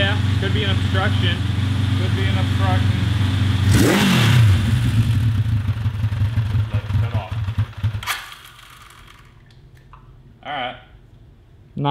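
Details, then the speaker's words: 1982 Honda CB750 750cc motorcycle engine bought cheap for a cross kart: strong mean idle, then a rev climbs to about four grand and falls flat; loss of power at high rpm, suspected timing or restricted exhaust, carburetor doubted. "it sounds mean idling and then up to like four grand and then it just falls on its face"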